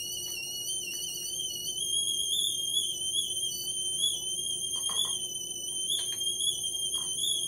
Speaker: And my water is boiling because I hear it whistling.